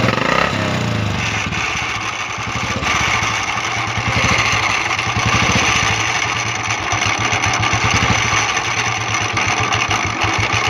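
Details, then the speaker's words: Royal Enfield Bullet Classic 350 single-cylinder idling with a busy metallic rattle; starter (self) clutch bearing noise, broken bearing spring lets the roller strike the starter clutch housing. "Friend य आप देख सकते हैं royal एफी but 350 है इसमें य आवाज आ रही थी इसकी सेल्फ की बेरिंग की आवाज थी गया इसम ये आप देख सकते हैं इसका बरिंग का स्प्रिंग होता है स्प्रिंग टूटने के बाद य गोली सेल्फ के बनवे में टकराने लगती है"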